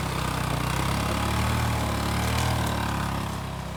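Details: Barn-find Kawasaki Bayou 220 ATV on test drive after repairs (filthy carburetor cleaned, new battery, oil and air filters, rear right wheel bearing and seal): steady even single-cylinder putter, smooth low beat, no knocks or rattles, pulling cleanly; running really good.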